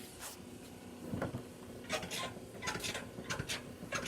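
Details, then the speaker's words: Euhomy compact dryer, lint filter cleaned: short squeaky creaks and rubbing scrapes every half second or so as the drum turns; owner unsure if normal since other users report it whisper quiet, wonders if the load is too large. "There's like a creaking noise when the drum is turning. I was just wondering if that's normal."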